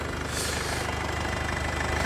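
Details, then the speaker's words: Diesel at an auction yard, about 100,000–120,000 km, coolant red, slight blow-by noted. Even diesel clatter at a steady idle, regular firing pulses with no misses or knocks; healthy idle, no warning messages. "coolant nice and red chopped up a little bit of blow-by it is a diesel though so it's too bad but all in all seems like a uh a nice car"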